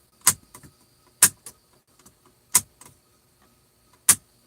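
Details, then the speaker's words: Truck trailer air ride suspension control valve venting in short sharp hissy puffs about every 1.5 s as it cycles to load and unload the rear axle, shifting trailer wheelbase; normal air ride valve exhaust, whistle-squeak heard while otherwise quiet. "that's the control valve or the switch that controls the the air ride valve in the back that we recycle it to load and unload the back axle"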